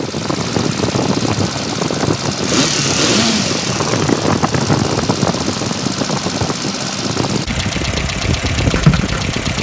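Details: 1994 Ford Econovan with points ignition, after replacing burnt points (caused by slipped timing belt) and setting gap and timing: engine settles to a steadier, more sensible idle with a brief blip and does not stall; throttle was sticking; cracked #1 lead noted.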